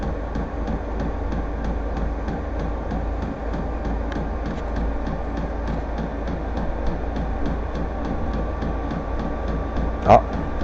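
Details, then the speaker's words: VEVOR heater just lit and starting to heat after its first start, exhaust getting hot: steady low roar with an even pump tick about three times a second, running normally though the owner finds the noise annoying. "si, ça y est, ça commence à chauffer. Ça y est. J'espère que le bruit va s'estomper quand même parce que c'est un peu pénible."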